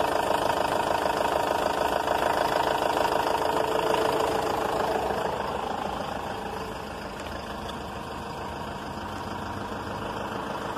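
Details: Renault Master 2.5 (2013), G9U diesel, after repair of a metallic noise (crankshaft, conrod, cylinder head and gaskets replaced), idling at 800–900 rpm: a steady, even clatter with no stray knocks. Normal idle.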